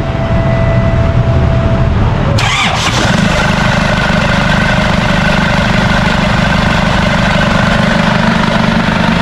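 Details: Isuzu D-Max 4GH1 diesel, converted to mechanical injection, started after a new injection pump was fitted to cure hard starting. It cranks briefly, catches, and settles into a smooth, steady idle with no stumbling; normal idle.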